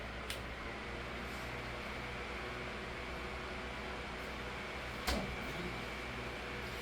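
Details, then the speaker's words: Holmes 12" desk fan HDF-1209 (2007), cleaned and serviced, high-RPM 16in motor driving low-pitch 12in blade, on medium speed; soft steady airflow rush with faint hum, no ticking or rubbing, normal running. "there is not really much change in speeds and that is because once again they chose to use a 16in motor for a 12in blade"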